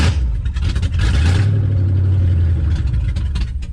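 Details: 1967 AMC Rambler Rebel SST, 290 cubic inch V8 with 2-barrel carburetor and automatic, off the road since 1981 in a farmyard, starting with a fresh battery: starter churns briefly, then it catches into a rough, lumpy idle; normal start after long storage.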